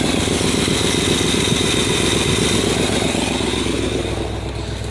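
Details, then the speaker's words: Edsel V8 not fully warmed up, idling after new fuel pump, no proper exhaust: quick, slightly uneven puffing tick about four per second over low rumble from exhaust leaks, though running smoother than before. "you can still hear the exhaust leaks of course but all this thing sounds so much smoother and so much better"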